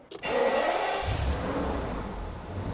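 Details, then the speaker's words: E38 Alpina B12 6.0 V12, just started: engine catches and settles, oil light goes straight off, under a loud, airy whooshing rush from a worn engine cooling fan needing urgent replacement. "that fan is going to blow up in my face we need to change that yesterday"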